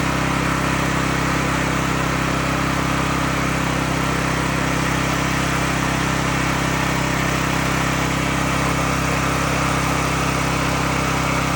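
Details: Cat RP8000E generator, about five years old, which started but shut down immediately, now running after the fix involving a switch and leveling the unit. Even, unbroken drone at constant speed with no surging or cutting out; normal running.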